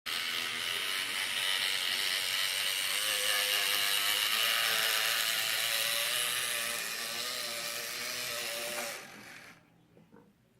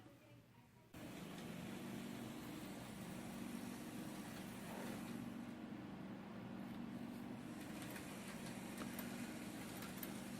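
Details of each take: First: Atlas GP9 model locomotive after a decoder was installed: the motor whirs loudly with a ratchety buzz pulsing about four times a second, caused by binding bushings. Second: Atlas GP9 locomotive after fixing noise from a decoder installation: the motor starts and runs with a soft, steady hum and no rattle or squeal, much quieter than before.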